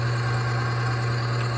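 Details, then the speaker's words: Oil additive load tester running on oil treated with UHP Innovation HP shot, holding 12 weights: steady, even low hum with no grinding, scraping or surging; smooth running under load, oil film holding, little damage taking place. "You can hear it, how smooth it is. And you can just hear that not a ton of damage is taking"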